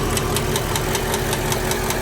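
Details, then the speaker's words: GM remanufactured short-block engine running at idle with sharp, even ticking about five per second; suspected lifter/valve-side tick because reman engines don't come set and need adjustment, not yet confirmed. "Problem with remanufactured engines is getting a little ticky tick. The valve probably back here."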